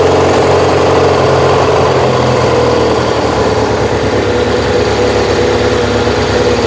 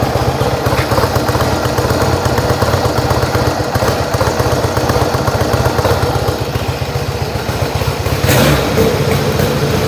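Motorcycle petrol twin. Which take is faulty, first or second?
first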